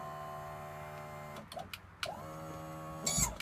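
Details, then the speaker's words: 1993 90hp Johnson outboard just swapped onto boat, power tilt tested before first start: steady electric motor hum with even whine for over a second, then a few clunks as it stops; tilt works and raises well. "Actually gets up there pretty good."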